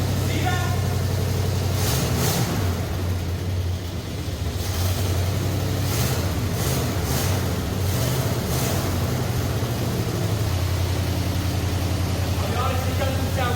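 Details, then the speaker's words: 1965 Ford Galaxie 500 with freshly rebuilt 390 FE V8, first start, no coolant, water pump leaking: uneven loping, lumpy running with a ragged exhaust puff; owner suspects a busted, leaking exhaust manifold. "I can hear a pretty rough CP over here I think it's just our busted exhaust manifold leaking terribly"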